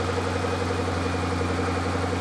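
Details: Ford GT V8 after fuel system repair, check engine lights now off: deep, even idle with a steady beat and no misses, ticks or hunting; normal idle.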